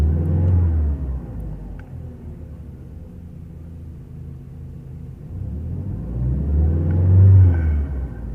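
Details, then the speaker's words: VW Jetta A4 2.0, after replacing the spark plugs and wires for jerking, an unstable idle and misfires on cylinders 1 and 3: the engine revs up and settles smoothly with a steady low rumble and no stumbles; it is now running clean. "acelera más uniformemente ahorita voy a grabar el motor para ver qué tan tembloroso está pero ya no se siente"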